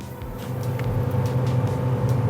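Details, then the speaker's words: Samsung refrigerator freezer fan motor after repair of 12-blink control board error (fridge not cooling, compressor still not starting): steady, even hum with constant low drone, no ticking or scraping; freezer fan running smoothly and healthy. "freezer fan is already working. Now I can complete the job. Fan is working already. You can hear the noise."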